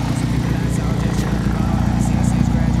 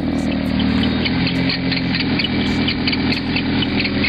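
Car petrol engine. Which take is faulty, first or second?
second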